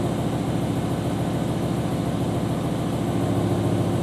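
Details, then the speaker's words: BMW M5/M6 (E60/E63) 10-cylinder at idle after dropping to half a motor with service engine soon light: low, uneven stumbling beat about three pulses a second and lumpy exhaust; codes show misfire on cylinder nine and possibly two, traced to failed #9 coil. "all right so looks like we've got a misfire on cylinder two and cylinder nine possibly"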